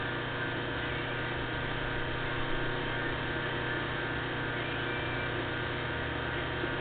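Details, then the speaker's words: 1/4 hp electric motor made in Cleveland, Ohio, ungrounded black and white wiring, pulley fitted, plugged in: steady even hum, constant low tone, no knocks or rubbing, shaft apparently turning clockwise; runs smooth and quiet, suits a fan motor. "runs pretty smooth and quiet here we go shaft is turning clockwise I do believe"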